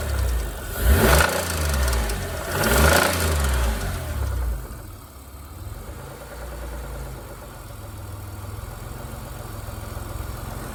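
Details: Mitsubishi GTO petrol engine blipped twice then settling to idle, with a rough, uneven rod knock underneath.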